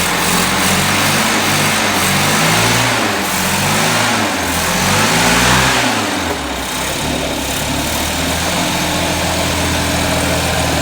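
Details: 1979 Datsun 210 engine revving up and down with a ragged, stumbling exhaust note and dropped beats as speed rises; cause not yet found. Engine misfire.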